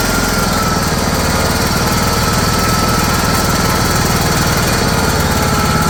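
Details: John Deere GT262 garden tractor that sat for many years, started on a fully charged battery with a starter needing to be beaten on: steady, even idle with constant low beat, no knocks or misses; normal idle.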